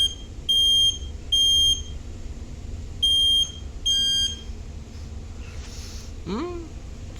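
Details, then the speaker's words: Household smoke alarm test for National Fire Alarm Day, the still-working unit (another failed): four sharp, high-pitched beeps in uneven test pattern in a quiet room; alarm works normally. "works as a good thing. That's a good thing, but we have to check like smoke alarms that works or not, you know."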